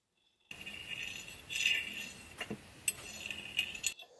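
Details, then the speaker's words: Removed Mazda rotary apex seal run about 5,000–6,000 miles premixed at one ounce per gallon: dry, high fingernail scrape with sharp ticks catching in worn grooves, rated 6 of 10; grooved seal surface. "you can hear that ticking [Music] as I run that across there definitely not the smoothest"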